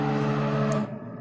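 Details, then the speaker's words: LinuxCNC/Mesa servo-driven mill during a rapid move near max velocity: steady buzzing hum with fixed tones dying away as it stops; noise from bad servo tuning, not yet addressed. "So that noise is bad servo tuning. I'm going to try and address that soon."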